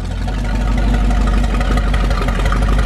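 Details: 1978 motorhome 440 big-block V8 for a 1974 Plymouth Cuda, on custom run stand, started via ignition switch and push-start button: catches and settles into a deep, lumpy but steady idle, no knocks; normal start and idle.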